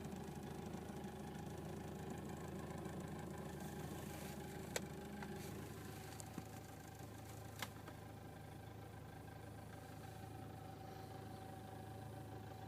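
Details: 2006 VW Golf Mk5 GTI at cold idle, cold weather, below 1000 rpm: low steady drone with a faint, loosely paced ticking that disappears above 1000 rpm; source unclear, needs further checking.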